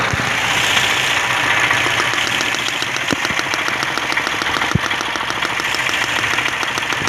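Idling engine with an uneven knock of about three beats a second and a stumbling rhythm, consistent with a misfiring cylinder. Cause suspected, not confirmed.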